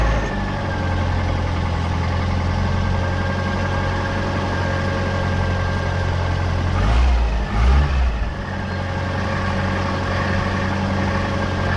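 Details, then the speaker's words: Austin Allegro after fitting new HT leads, replacing a sparking king lead that caused misfiring, juddering and spark ticking: steady, even low idle, no ticking or stumbles; normal idle. "that's better she's running smooth see with the spark coming off of that ht lead she was almost sort of misfiring sort of juddering and you could hear the spark ticking so that is a relief to hear a nice smooth happy peggy"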